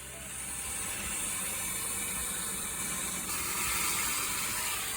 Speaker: Here's your reminder to drain your air compressors if you haven't done it for a while.